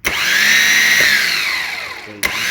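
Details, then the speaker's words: Serviced Alfa Romeo 147 starter motor bench-tested by bridging the solenoid posts, after it had been making noise: high, clean whine spins up, coasts down, kicks in again, no grinding or rattling; spins freely, healthy. "you can hear the shutter is running so afterwards we were servicing the starter was making noise"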